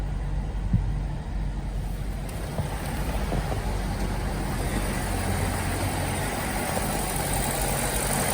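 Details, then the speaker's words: 2008 BMW X5 E70 4.8i V8 idling after all eight ignition coils were replaced with Delphi coils: a steady, even low rumble with no stumbles, faint music behind it; the misfire is sorted out. "okay so with this all the misfire issues got sorted out"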